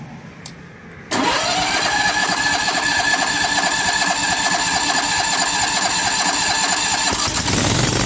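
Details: Pressure washer engine on soft wash box truck, prepared for winter washing: short crank catches at once, settles into steady, even run with no misses or knocks; healthy start.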